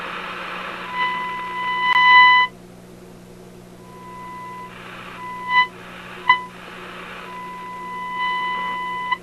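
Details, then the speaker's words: Simplex antique vacuum tube radio, strong signal-generator signal into antenna on shortwave near 17 MHz, after probing a 6A7 pin; clean, steady test tone in clear bursts, quiet hum, no crackle; normal audio output. "this radio appears to be working properly i just shoved the signal it's a big signal mind you into the antenna but listen to it it sounds it sounds like a radio right"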